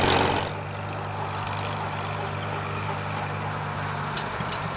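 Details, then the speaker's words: Revived Farmall H tractor idling after a drive: a slow, lumpy, uneven beat with the odd sharp pop at the exhaust. The exhaust is spitting, which the owner attributes to a lumpy cam. "how about that about a new favorite thing got a hog ass cam you hear that thing spitting"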